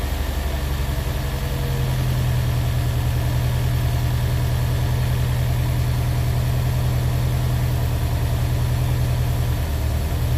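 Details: Honda S2000 at idle: lumpy, uneven stumbling beat about two or three per second that never settles; engine misfire.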